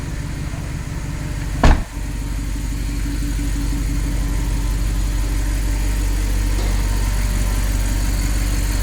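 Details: Audi R8 after a no-crank, no-start fault was repaired: one sharp thump, then a smooth, even low rumble holding steady; the engine settles into a clean, stable normal idle.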